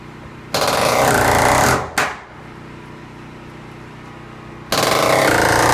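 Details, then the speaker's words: Ridgid R350PNA palm nailer, oiled and set to 100 psi, driving 3¼-inch galvanized spiral spikes: rapid, even hammering bursts with clean starts and stops, running healthy; it later blew a gasket after about 50 nails. "Put a little oil in it and set it at 100 psi, and seems to be doing the trick so far."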